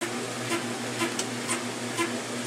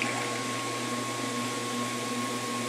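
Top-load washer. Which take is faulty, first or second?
first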